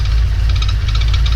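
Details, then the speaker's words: Supercharged engine with a TVS1900 idling: a fast, light ticking or knocking clatter over a deep, steady rumble. It seems to come from the supercharger, and spraying the belts makes no difference. Recorded on a phone; cause unknown. "really know what it is doesn't matter if spray the belts down it's that kind of something's coming from the supercharger good honestly I don't know what that sound is so any insight might might help me out a whole lot"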